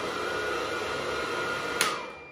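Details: Gas boiler combustion fan during air pressure switch test (switch makes black-to-blue when fan runs): steady even whirr with faint constant whistle, no rattle or scrape, then spins down; fan healthy.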